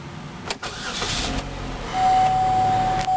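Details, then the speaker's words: 2008 Chevrolet Cobalt LS sedan at 79,911 miles: quick crank, then the engine catches at once and settles into a steady, even idle with no stumble or knock; normal start. "Fires right up. Easy to smooth steer."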